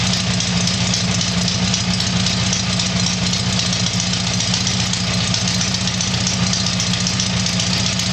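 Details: Tiger-1 engine (Bill's) started after rebuild, steady even idle with constant fast firing beat, no knocks, misses or rattles; normal idle.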